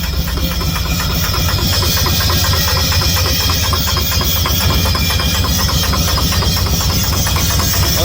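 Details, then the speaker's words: Rough-running engine with loose, uneven knock about twice a second over heavy hiss; owner reports lack of power, vehicle only moves slowly; cause unknown. "pero mira, compa, te suena muy feo el motor, ¿verdad?"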